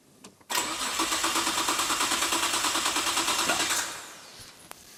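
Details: Nissan R32 GT-R, auction-bought: starter cranks steadily at about three turns a second for three seconds, engine never catches, then goes quiet; cranks, won't start. Relay clicking heard, fuel gauge inoperative; compression, spark and fuel not yet tested.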